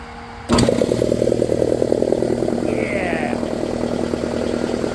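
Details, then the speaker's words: Shop air compressor after electric motor and belt replacement, first fire-up: starts with a thump, then steady even pumping beat around three per second with constant motor hum, quiet and smooth; normal running. "back in business quiet too loving it"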